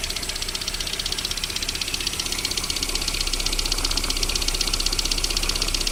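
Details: VAZ 21127 engine at cold idle with a sharp, even ticking knock of about 158 per minute during warm-up; it disappears once the engine warms to about 40 degrees, cause not found.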